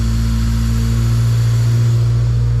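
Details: Acura NSX J-series engine after rebuild, fire-up with timing belt tension still being adjusted: steady deep low hum, even beat, no knocks or rattles; normal running.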